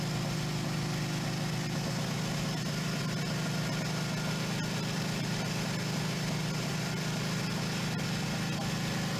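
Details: 1977 Suzuki GS550 four-cylinder, first start after two years stored: even, steady low burble at constant idle speed, no misses or knocks; normal cold-start idle.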